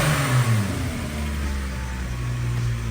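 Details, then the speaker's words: 1992 VW Corrado after a head gasket job (Mark IV gasket, +0.5 compression), new valve seals and lapped valve seats: revs up and settles with a deep, even exhaust note and no knock or misfire. A normal rev; owner suspects an exhaust leak. "This thing should rip and roar pretty good. Let's see."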